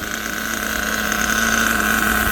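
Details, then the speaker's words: Kyosho USA-1 nitro RC truck while the transmission shift points are being adjusted: a steady, high-pitched nitro buzz holds an even idle with no hunting or stumbling, so the engine runs clean. "things sounds awesome and he was idle for days too"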